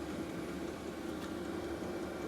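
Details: New Maxpeedingrods 5kW 12V diesel heater in shed, mic close, set around 24–25 degrees: steady, even fan-like rush with no pulsing, knocking or rattling; running smoothly at full power.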